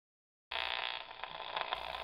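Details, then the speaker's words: SpikerBox neural amplifier with speaker and fresh cockroach leg attached: steady harsh buzz as it switches on, no spikes; 60 Hz mains line noise from powered equipment plugged into wall sockets, such as a nearby soldering iron; mains hum. "I've placed a fresh cockroach leg on my Spiker box but what is that Dreadful humming that humming you're hearing is the 60 HZ line noise that's running through all powered equipment plugged into the electrical sockets in your wall"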